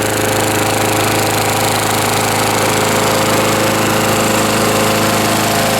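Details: 1989 Lawn-Boy S21ZPN push mower refitted with a 4.5 hp Tecumseh Eager 1 engine, cold start, one primer press, about half throttle: constant rapid beat, no skips, rattles or surging; healthy running.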